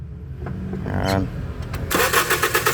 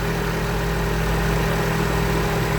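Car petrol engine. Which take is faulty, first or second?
first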